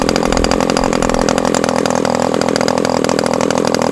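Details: Super Tigre model glow engine (G90 suspected unhealthy) after swapping to an OS No. 8 glow plug. A high-pitched buzzing run with a slight uneven pulsing. Uneven running; a transition issue improved after returning the spray bar position; cause unclear.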